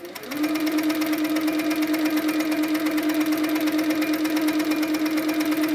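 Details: Handi Quilter Sweet Sixteen, after tightening the top tension about a half turn more. Steady motor hum with an even, quick stitch rhythm and no catches. No pink dots show on the back, so tension is perfect. Normal stitching.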